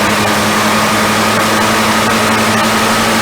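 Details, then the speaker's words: 1966 Dodge Coronet started after 20+ years sitting, on starting fluid after starter was jumped: steady idle with dull hum and faint buzz, fairly even but not smooth, smoking and leaking; carburetor needs work. "the crazy thing is it doesn't run half bad it definitely kicked a whole lot of crap out on me and dust and run crap uh the carb needs some work huh"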